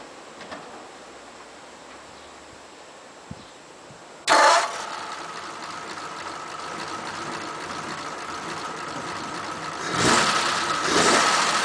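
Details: 1941 Ford pickup, carburettor previously flooding, engine still warm after about half an hour: quiet, then short crank catches quickly into steady even idle with a brief blip near the end; normal hot start.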